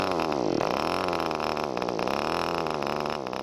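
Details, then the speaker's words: ASP/Magnum/SC .21 model two-stroke glow engine being run in, needle nearly three and a half turns out, high buzzy note wavering and sagging, struggling to burn all the fuel; deliberately rich running. "listen to that engine struggle to burn all the fuel we're giving it the needle ended up way out nearly three-and-a-half turns"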